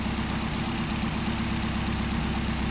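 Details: Solex carburetors just after idle mixture adjustment: steady, even idle pulse with no stumble or hunting, with the mixture screw backed out for best idle and the idle risen from about 700 to roughly 850 rpm; clean normal idle.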